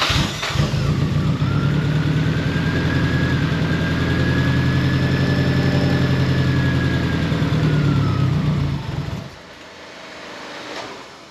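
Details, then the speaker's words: Nissan Pulsar GTI-R, rebuilt engine back in after a fuel line leak was tightened, with a slow crank: runs with uneven lumpy beat and faint whistle then cuts out; sounds like a misfire, owner suspects TPS setting or dirty ground. "Well, it runs. So, that's a start. Something's not right, though."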